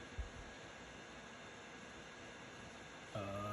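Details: Laptop cooling fan running loud with a steady whooshing hiss and a faint tone near the end; fix shown is adjusting processor power management in Windows power options.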